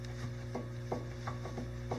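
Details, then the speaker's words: 2004 Dodge Ram front ball joint, removed old part worked by hand; loose clicking knocks roughly every third of a second showing play, unlike the new joint with none: worn ball joint. "this is the old one lops around I can clearly move"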